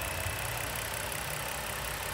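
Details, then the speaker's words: Engine idling after two 40-minute sludge-flush cleanings with Dynamic Engine Cleaner: a steady, even, smooth low rumble with no knocking or ticking. The previous knock is practically eliminated. "Vamos a escuchar cómo escucha este motor después de la limpieza. Prácticamente se le quitó el golpeteo al 100%."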